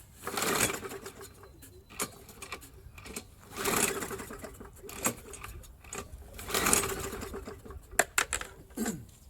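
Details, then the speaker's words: Roadside Briggs & Stratton mower, spark plug removed, quarter cup of gas poured in the head: three quick whirring pulls with no firing or compression, engine spinning freely to clean it out. "it's going to shoot gas so what it's going to do is just kind of create a whole lot of suction and it should just clean everything out it's not going to start there's no plug"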